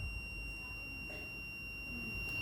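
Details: Two-door refrigerator defrost timer checked with a multimeter on its terminals while the timer is rotated: clean, steady high-pitched continuity tone throughout; timer contacts switching properly, timer good.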